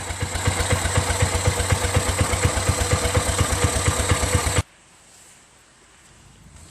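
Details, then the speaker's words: Exmark Metro 36 commercial walk-behind mower with Honda GV400 engine, curb find, running after a recoil starter repair, PTO working. Steady, regular thumping idle with no skips or rattles for several seconds, then it stops; healthy engine. "look how that's idling it's purring like a kitten man this is one of the smoothest sounding engines have had that's freakin unbelievable man"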